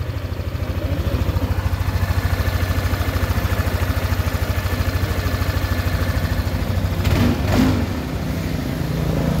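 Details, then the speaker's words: Yamaha NMAX scooter that had a rough, grinding engine noise, idling after the throttle body was refitted; even, low thrum around 200 pulses a minute with no rattle or grinding; smooth, normal idle. "Nah ya suara mesinnya sekarang sangat halus sekali ya"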